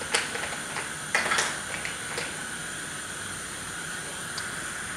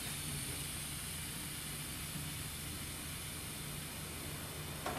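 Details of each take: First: Pneumatic thermostat, likely reverse acting, hissing constantly regardless of the dial setting: a steady unbroken air hiss from cracked, brittle tubing, with a few handling clicks over it. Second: Pneumatic room thermostat that was hissing constantly, after refitting and testing; set to full cold, a soft steady hiss of air venting with no sputter or pulsing: normal air bleed.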